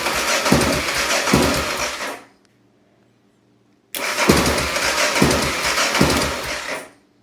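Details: 1988 Honda NX650 crank-but-no-start: two cranking bursts of about two seconds each, the starter chugging steadily, but the engine never catches and goes silent between tries.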